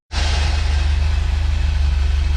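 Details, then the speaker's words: 1977 Bus with automatic transmission, first run under its own power after about 30 years: deep steady rumble at low idle with a regular pulsing drone; terrible transmission noise at idle, cause unknown, idle set slightly low, choke not yet hooked up. "it's idling a transmission noise is terrible so it idles uh it's a little low so I'm just gonna give it a little more idle I think and hopefully that's good"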